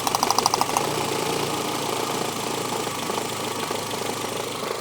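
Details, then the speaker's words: Renault Twingo after ECU repair, running on all four cylinders, then one plug lead pulled: lumpy, uneven idle with irregular thumps; single cylinder deliberately disabled, engine otherwise fine with 200 psi compression. "Just to show you, if I now remove one of these, it will change engine mode completely."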